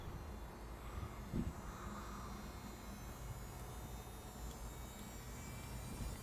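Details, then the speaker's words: 2007 Audi A4 B7 Cabriolet, repaired rear-mounted soft-top roof motor/pump: faint, steady low hum, even with no straining or cutting out; roof working fine after the fix, previously silent. "But yeah, as you can see, everything working fine"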